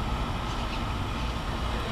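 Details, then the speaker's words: Goodman outdoor AC condenser running: loud coarse steady low rumble, rougher than a healthy compressor; noisy condenser, suspected Copeland compressor, cause not confirmed. "all right so with this house there's a really noisy Goodman that doesn't sound too good"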